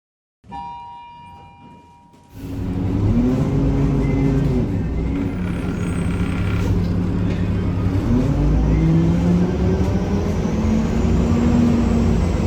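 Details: 1993 Gillig Phantom 35' bus, Cummins ISM engine, Allison B400R transmission, riding onboard: engine drone with whining tones rising and falling with road speed and a loud rough grinding throughout; owner suspects transmission, unconfirmed.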